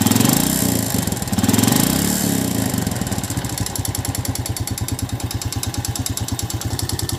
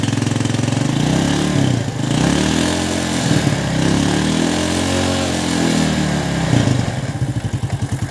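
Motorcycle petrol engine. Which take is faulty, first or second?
first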